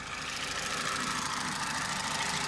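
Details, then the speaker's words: Opel/Vauxhall Meriva 1.4 Ecotec petrol at 236,000 km, idling; light, fast diesel-like tapping from the intake manifold swirl flaps (airflow control valves), not the timing chain. "This diesel kind of tapping noise you could hear on this engine is basically nothing else but coming from inside here. There's little valves that control the airflow going in to the intake manifold."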